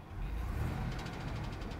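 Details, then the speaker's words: Engine told it needs replacing: heavy regular knocking about eleven per second over a low rumble; a deep internal knock, bearing suspected. "it's not looking good not sounding good buddy no I'm not digging that one a heavy knocks not good"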